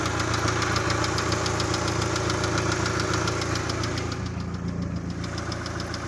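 Sharp regular ticking, around three to four per second, rides over a steady idle; an unwanted knock, cause still undetermined.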